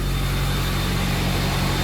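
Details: 6.0 Powerstroke diesel pickup after fixing a broken fan clutch wire and clearing limp-mode codes: a deep, even idle with a steady low rumble and no misses or knocks, running smoothly.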